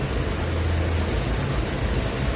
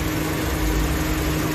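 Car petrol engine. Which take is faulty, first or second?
second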